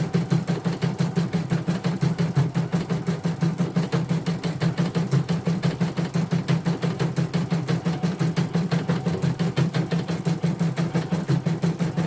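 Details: Portable embroidery machine shipped from Sekayu, South Sumatra with complaints of no embroidering, blank screen, hoop not positioning and dead touchscreen; run after mainboard work, presser foot lowered, sped up, one colour: even stitching thump about three times a second, no knocks or grinding; all sounds normal.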